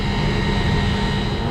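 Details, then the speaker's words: Commercial centrifugal exhaust fan on an ABB ACH550 VFD, running a while after settings changes, motor at 90% drawing 3 amps: smooth, even roar with a steady low hum, no knocks, rubs or belt squeal; running normally. "all right guys this thing's been operating for a while now it's at 90% 3 amps everything is looking good"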